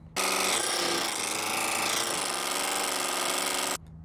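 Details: Subaru Forester with an EJ engine: a harsh, fast rattling knock at about four per second, steady for a few seconds, sounding like rod knock but caused by the timing belt. Timing belt tensioner knock.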